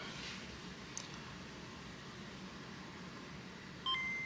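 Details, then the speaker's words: Nintendo Game Boy Pocket after cleaning corroded battery terminals, replacing bad capacitors and fixing the speaker, with volume on loud: quiet hiss, then a crisp, clean two-note power-on chime. The unit works. Normal boot chime. "So we got a working unit here."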